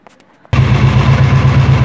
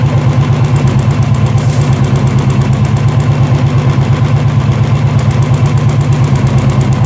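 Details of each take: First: Royal Enfield BS4 single-cylinder: with the charcoal canister cable removed and a finger over the port, the engine settles into a deep, even thumping idle with no tappet ticking, which returns when reconnected. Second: Royal Enfield BS4 EFI single-cylinder at idle: light, quick, even ticking mistaken for tappet noise, actually from the charcoal canister purge valve; unplugging it stops the engine, pinching the pipe tests the tick.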